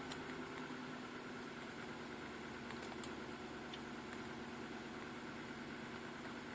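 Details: Nissan Patrol Y62 cold start at −10 °C: cold idle with faint uneven knocking over steady engine hum; cold-start knock, cause not identified.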